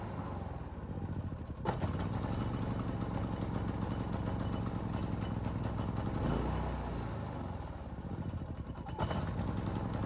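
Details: Predator 3500 inverter generator only runs on full choke, dies off choke; engine hunts up and down with pitch swelling every few seconds, a lean surge from a clogged main jet, fixable without removing the carburetor.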